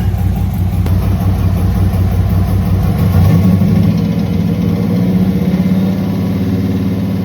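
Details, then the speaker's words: Turbo Dodge Diplomat engine after 1.6 ratio Harland Sharp rockers and new pushrods: a rough, uneven low idle with a dull tap, tap under the rumble, worst on throttle then let-off. Oil pressure is poor and the owner suspects a rod knock, unconfirmed. "And unfortunately, it kind of sounds like a rod knock, especially when I give it some throttle and then let off and get a tap, tap, tap."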